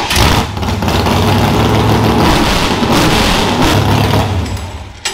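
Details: Demolition derby car engine, first start after Royal Purple oil plus Lucas and a prolonged additive; catches quickly, picks up cleanly on the throttle, drops back evenly, no knocking or clatter; healthy.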